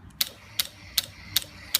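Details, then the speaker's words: Aprilia Shiver that won't start, even with a new battery and after tightening the starter relay, which can loosen from vibration. Sharp clicks about every 0.38 seconds with no cranking. The relay chatters but the starter never turns; the cause is still unknown. "everything seems to be working and making noise. This thing's clicking and that's it."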